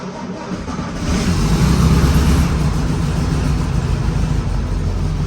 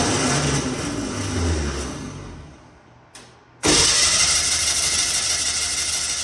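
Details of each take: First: 1964 VW Beetle cold start in the garage; short cranking, then it fires right up once the choke cable is pulled fully out, settling into a steady, low, even idle; normal cold start. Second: 1964 VW Beetle first start in a very long time, carburetor empty; brief crank then high even whirring spin with no firing, the old 6-volt starter with a 12-volt solenoid freewheeling without engaging.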